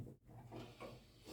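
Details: Door swinging with only a soft wooden rub and low hum, no squeak, after the door was lifted off and thick grease applied to the hinge.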